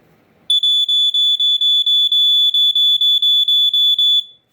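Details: Sunbeam 45 7A smoke alarm during unboxing: a piercing high pulsed shriek, about four beeps a second for nearly four seconds, with no smoke present. Cause suspected, not confirmed.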